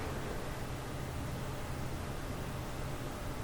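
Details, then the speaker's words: Ryzen 5 1600 PC with a Wraith Spire cooler in a Corsair Obsidian 250D, microphone placed right into the fans: a soft, even whoosh, quieter than most fans, with no ticking, rattling or rising whine. Cooler fan running quietly and healthy. "And right down in there, you can hear the fans when you're that close. Yeah. I can hear that one, but it's quieter than like most fans"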